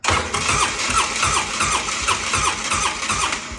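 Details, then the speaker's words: Steady starter churning at about two and a half beats per second, never catching, on a 2010 Polaris Ranger 800 XP; fuel pump heard priming but the pressure tester shows no fuel pressure, so crank-no-start, pump out of spec, replaced. "I just H took this uh injector system apart right here plugged my fuel rail tester or my fuel pressure tester into it and it's not making any pressure so we continue to have a crank no"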